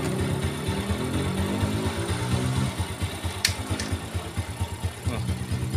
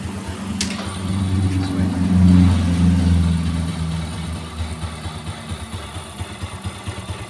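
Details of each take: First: 4-stroke underbone motorcycle idling in neutral: even thump about two beats per second, smooth with no harsh noise; complaint is crunching from right side of engine only when in gear. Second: 4-stroke Yamaha underbone motorcycle (Vega/Jupiter type) smooth in neutral but rough in gear: low idle thump turns coarse and lumpy with a crunching sound, about three uneven pulses a second, from the right engine side; sounds like a broken clutch one-way cage.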